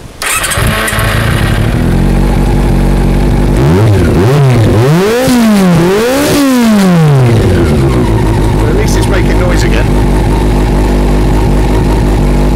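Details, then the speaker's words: Honda CB400 Super Four four-cylinder, carburetors leaking fuel from the join of the carb bodies, so the carbs must come off again. It fires up, throttle blips rise and fall cleanly, then it settles to a steady, even idle; the engine runs well. "it's a lovely noise listen to this"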